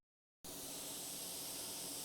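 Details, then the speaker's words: Inflatable dinghy checked by listening: steady sharp hiss of escaping air from a new hole in the first chamber, not one of the holes already there before; needs patching. "do you hear that you see that that's a new hole it's just come up so I'm gonna have to patch this hole"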